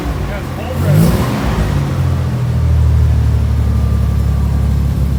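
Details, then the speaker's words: 1990 Nissan 300ZX, third start attempt after taping up and fixing a fault that made it run poorly: after a brief rev it settles into a steady, even low rumble with no stumble or hunting; smooth idle, much better than before. "ready yeah look at how much nicer oh wow yeah way nicer"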